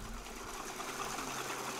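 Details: Waterwheel microhydro generator charging a battery through a Victron MPPT controller, only about five watts output, roughly 0.5 A into the battery at 13–14.5 V; fast even whirr with light mechanical chatter at constant pace, running smoothly under light load.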